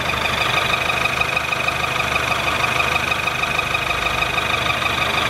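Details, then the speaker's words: Ford Fusion engine at idle after assembly: quick, even tapping about three beats per second over loud mechanical clatter; internal noise, cause unknown, cylinder head to be removed. "aí galera falei que ia mostrar PR vocês o barulho do motor do fus é esse aí"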